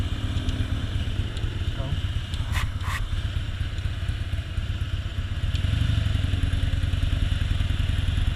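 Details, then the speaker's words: Recently bought 2001 Harley-Davidson Softail with new spark plugs, fuel pump and tune-up: it idles very low after a freeway ride, then misfires under even minimal load at low speed, with uneven, skipped V-twin firing pulses. "Alright, we got some misfiring going on. The heavy load, it starts misfiring."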